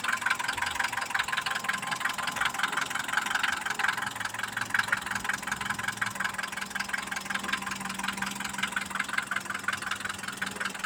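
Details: Mitsubishi Pajero iO with a 4G94 engine at idle: a steady light tapping near three knocks a second over an even idle; owner hears a knock inside the engine and is asking what it could be, cause unknown.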